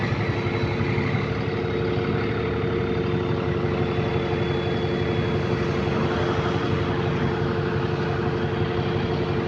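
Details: Bus with an exhaust leak: loud diesel rumble with a raspy, chuffing puff at about three a second. Exhaust leak.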